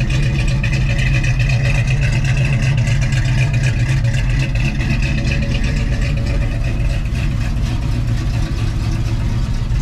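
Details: 1989 Mustang 5.0L Fox body notchback, AOD, EFI converted to Holley 600 CFM carburetor, Trick Flow Track Max pan; warm, smooth, even idle with steady low burble, no stumbles or ticking; clean healthy idle.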